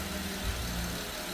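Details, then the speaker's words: 2013 Porsche Panamera idling after timing chain replacement for P0016 stretched chain: smooth steady low rumble, even beat, no ticks or knocks; on time, no misfires, no codes, no leaks after about 20 minutes. "everything sounds good definitely on time no misfires she sounds great about 20 minutes of run time no no ptcs no leaks"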